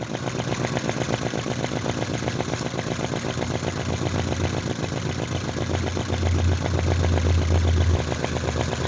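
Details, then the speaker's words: Unbranded 90-degree V-twin flame-licker vacuum model engine with computer heat sinks and carefully set valves: steady even chuffing at about four beats/s with regular valve pumping noise. Runs happily about half an hour, faster with bigger flames; normal running. "so this engine will run quite happily for about a half an hour I can run it slower or faster as I wish"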